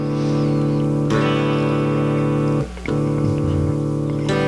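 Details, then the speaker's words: Black Beauty guitar with P-Street pickups: strummed notes ring, then abruptly drop to near silence twice in five seconds; intermittent cutout suspected from a bad tone pot or, more likely, its wiring. "either is a bad tone pot or the wiring is bad to it I'm guessing it's the wiring cuz it cuts in and"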